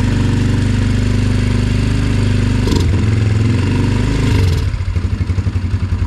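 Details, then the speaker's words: Yamaha TT-R 125 single-cylinder on stale, varnish-smelling fuel, started on choke: lumpy 3–4 beat-per-second idle that sags and stumbles, won't rev; once warm it won't idle and must cool before rerunning; carburetor problems suspected. "this thing here finally got it to idle but it won't Riv up uh and then when it warms up it won't idle got to let it cool down before it runs again"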